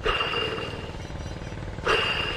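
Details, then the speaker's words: Troy-Bilt Pony lawn tractor deck blade spindle, removed and spun by hand: rough, raspy whir with a thin high ring, fading, then spun again; bearing dry, spindle dead, to be replaced. "bearing's definitely dry on that one"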